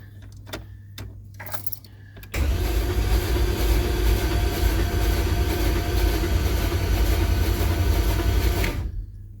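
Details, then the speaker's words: 1965 Pontiac Parisienne with freshly built 283 Chev, Turbo 350 and Holley Sniper, O2 sensor unplugged, first crank to prime oil: a few clicks then steady rhythmic cranking that never fires, watching for oil pressure. "let's crank this and see if we can get any movement on our oil gauge at all"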